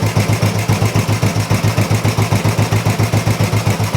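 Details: Old Royal Enfield 350 single after long storage and carb work, not yet fully warmed up: steady, even idle thump about three and a half beats a second, no misses or rattles; sounds really sweet, normal idle, not much wrong.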